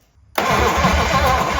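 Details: 1956 DeSoto Firedome, barn-stored 24 years, with hard old spark plug wires. Even starter cranking with no firing pulses, it just spins without catching. There is no spark even after a new condenser, so the ignition coil is being tested and the coil and condenser are suspected.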